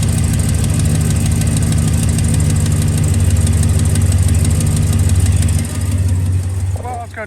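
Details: 2007-2013 Chevy Silverado V8 at idle, fired up right after oil cooler gasket replacement to check for leaks: deep, steady low rumble with an even beat, no knocks or ticks; normal idle.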